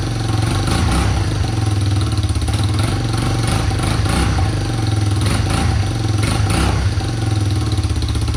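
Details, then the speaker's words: Budget Big Red 250ES single-cylinder engine running after a spark fix, with the exhaust not yet clamped or bolted in place. A strong, even thump has a raspy puffing edge as gas escapes at the loose joint: exhaust leak. "she's a little bit a little bit noisy like you can hear the air that you're escaping from her"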